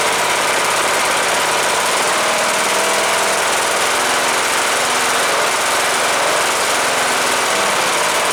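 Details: Cub Cadet LTX 1045 Kohler Courage engine after counterbalance repair fixing a knock from running without oil, fresh oil in: constant rattly roar holding speed, no heavy rhythmic knock; normal running.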